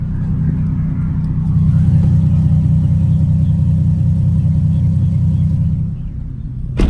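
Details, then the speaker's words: Nissan 370Z with a Greddy RS-Race single-exit exhaust, after the shop fixed a rattle, pulling away on the 15-mile drive home: deep, even exhaust rumble with no rattle or buzz. The exhaust now sounds tight. "No rattling, guys, no rattling. Driving about 15 miles back home. Car sounds fine. Don't hear the rattling, and hopefully it stays like that permanently or for a while."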